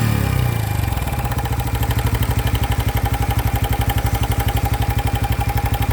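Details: New 2025 Honda Biz engine shows a new noise after being accelerated to under 70 km/h: after startup it settles to a steady idle with an even tapping pulse around four per second; cause not identified.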